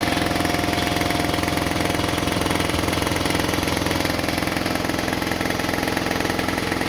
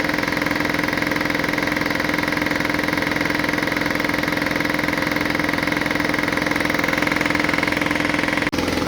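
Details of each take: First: About 20-year-old air compressor with a brand new replacement motor, which would not restart with air in the tank. After maintenance it is plugged in and gives a fast, even pumping thump of about 3.5 per second, a small puff of air and no leaking: normal running. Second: Air compressor that wouldn't restart with air in the tank: pumps with a steady rapid beat, then stops, leaving a continuous hiss; the unloading valve leaks continuously, pointing to a bad check valve.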